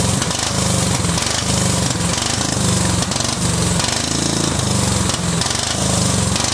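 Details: Cub Cadet 2130 lawn tractor, just started: uneven, lumpy running surging and sagging; fuel system full of water and rust, owner suspects water in the carb bowl, plans to drain it.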